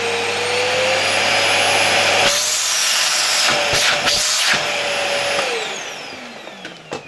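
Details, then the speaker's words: LG V-3340D vacuum cleaner after replacing its noisy motor with a new no-name Chinese motor, run first at reduced voltage via regulator: steady high whine with strong airflow rush, pitch holds then winds down; strong suction, normal running. "Not bad, it's scary to even put your hand in there, sucking like that."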